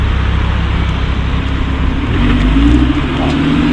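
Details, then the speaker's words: Lamborghini Huracán LP610 pulling away slowly from cold: low engine rumble with faint steady mid-pitch squeal from cold carbon-ceramic brakes, unpleasant at first but goes once driving and warm; normal. "Alors le grincement que vous entendez mes amis, ce sont ni plus ni moins que les freins céramiques, hein. C'est très désagréable au début, mais une fois que ça roule et que c'est chaud, c'est"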